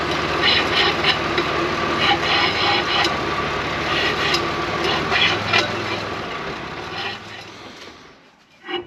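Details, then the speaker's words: Volvo TGB 13 6x6 vintage truck drivetrain with handbrake off: rough scraping and rubbing with a three-per-second pulse, fading as it slows; transfer case drum brake shoes suspected scraping inside the drum. "you can certainly hear what the issue is it definitely sounds like it is the drum break shoes scraping on the inside of the drum the handbrake is definitely off"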